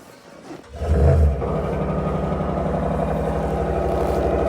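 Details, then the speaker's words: 2022 Ram 1500 5.7 Hemi V8 cold start at -24°C (feels -33), not plugged in, unstarted for a week: brief crank, catches with quick flare, settles into steady even fast idle; normal cold start. "That sounds good. That's a cold start, baby."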